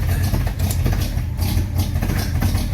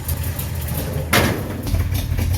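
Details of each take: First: Fully rebuilt 1953 Chevy 3800 truck, restarted after cleaning the spark plugs; the key had been left on and the coil or points may be cooked. Low, lumpy, uneven idle; running rich from too much choke. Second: 1953 Chevy 3800 truck, fully rebuilt, after cleaning spark plugs and suspected cooked coil or points: deep, low rumble at steady idle with one brief clatter; runs and idles fine, possibly too much choke.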